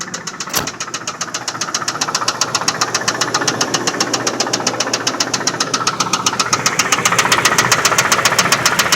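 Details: 1995 Lincoln Town Car, 326k miles: loud steady metallic knock about two and a half per second, quickening slightly as revs rise; severe rod knock on cylinder 3, engine due to be replaced.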